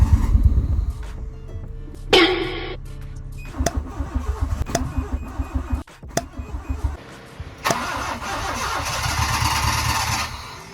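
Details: Honda Civic (EK hatch) freshly rebuilt engine on its fifth start attempt: starter grinds for several seconds in uneven bursts, then the engine catches and runs rough with idle not yet set. Hard start; ignition timing was later adjusted at the distributor to fix slow pickup.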